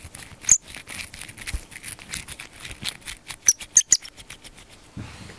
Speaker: this one is not okay it's starting to turn making horrible grinding noises just listen to that